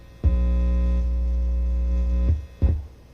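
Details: Technics SL-Q2 turntable with vintage Pickering cartridge, volume about a quarter: steady low buzz with overtones, then thumps as parts are moved; grounding hum.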